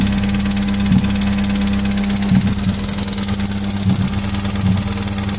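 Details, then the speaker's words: Mazda MX-5 with swapped-in 1.8 engine with electronic management, rattling after lifting off throttle on the highway: steady idle with irregular light metallic top-end rattles; lifters suspected, source not yet pinned down. "and sort of was on the gun a little bit and backed off and then I heard rattling noises those rattling noises kind of sound like this"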